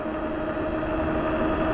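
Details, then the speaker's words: Globalkeep MA-S electric motorcycle (4000W peak motor, 250Nm) with very aggressive knobby fat tires, riding near 30 mph during a top-speed run into a slight headwind: steady droning tire hum that grows louder as speed rises. "You hear them tires humming? Faster you go, the louder that hum gets."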